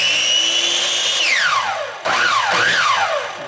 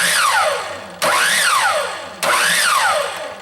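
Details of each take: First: Craftsman 10-inch miter saw, intermittent start: motor whines up, drops away, surges and dies unevenly; failing switch partially engages then triggers brake circuit, fixed by replacing switch; intermittent start from faulty switch. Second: Craftsman 10-inch miter saw that starts only intermittently: three clean starts, each a sharp rising whine peaking and winding down evenly; faulty trigger switch partially engaging and tripping the brake circuit, replaced. Normal motor start.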